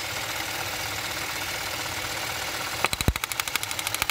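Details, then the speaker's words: Idling engine with a spark plug wire pulled; sharp irregular snaps about ten per second, uneven in strength, as the wire pops on its own, yet no change in idle; spark plug wire arcing. "I mean this thing, I don't have to do anything to it. It is popping. But there's no difference in the idle."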